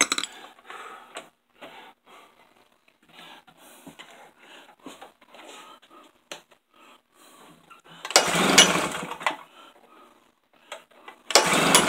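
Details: Tailgator small engine that ran when first bought, then sat about three weeks: two short pull-cord cranks, each a brief rough whirr dying at once with no firing; turns over but won't start.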